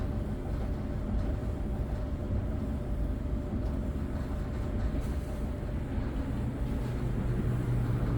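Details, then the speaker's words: Whirlpool dryer after replacing bent, rubbing blower wheel: even, steady low hum with faint constant tone, no rubbing or scraping; dryer running normally after repair. "Dryer is on now, it's running. We're gonna let it run for about 2 minutes and see if that noise will come back."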